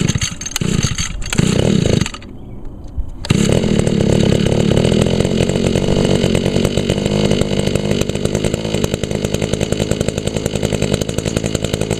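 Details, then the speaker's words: 2002 Echo SRM 2400SB slip-boom trimmer, 13 years old, started on choke after priming; a little smoky from a cylinder fogged with Deep Creep, muffler clean; blips, then a steady, even buzzy drone. Normal healthy running. "yeah a little smoky because I foged the cylinder with Jeep creep on this one the muffler is all clean though y he runs real good"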